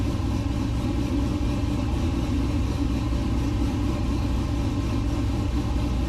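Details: LS-swapped 1969 C50 farm truck, just after intake install and power steering rebuild with some remaining fluid leak; deep even V8 rumble holding steady idle, no misses, knocks or hunting; normal idle.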